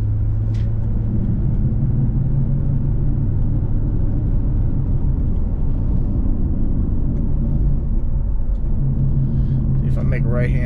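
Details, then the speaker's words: 2005 Pontiac GTO while driving; a steady low droning roar at road speed that goes quiet on a turn; owner suspects the right wheel bearing, the left having already been replaced; roaring noise while driving. "just in case you missed it hear that roaring noise like there it went away"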